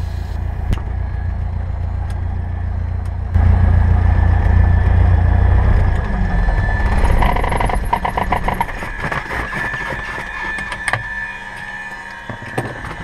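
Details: Cessna 172R engine shutdown: steady low drone of the idling piston engine, then mixture pulled full out to cut fuel, throttle out, magnetos off, and a couple of rough beats as it runs down to a stop; normal shutdown.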